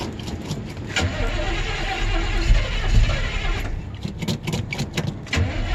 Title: Old 1972 Chevy C10 truck Cold Start Hard Start